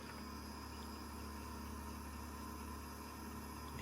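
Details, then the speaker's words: Chevy truck sat six years, key on engine off: steady low electric hum of the fuel pump priming, then it starts and runs fine; normal fuel pump priming. "that's the sound of a working fuel pump"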